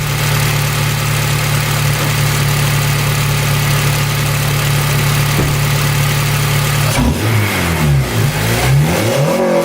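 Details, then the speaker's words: 2008 Honda Civic Si just after installing an AEM short ram intake (MAF refitted): smooth, even idle, then clean free revs that climb and settle with no misses; normal idle and revving. "Well guys, she's running. I don't know how well you can hear me. But yeah, no problems."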